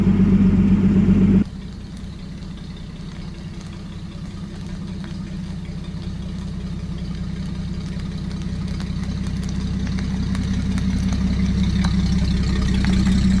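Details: 1949 Chrysler Royal flat six, moved after sitting with brakes rusting to drums: soft, even low hum with steady quick pulse, about four beats a second, no knocks; smooth healthy idle.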